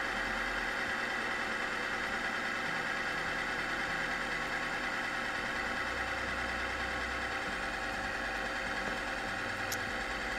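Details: Bike chain lubricant testing machine running a one-minute loaded test of e-bike lube: harsh, steady metallic scraping hiss over a motor hum as the oil film breaks down under high friction, metal on metal, with fling and smoke.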